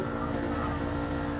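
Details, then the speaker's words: Window-type aircon unit after cleaning, previously repaired with charging line fitted: constant humming drone, steady mid tone over rough low rumble; compressor runs but is noisy, cause not confirmed. "Yung compressor nya maingay."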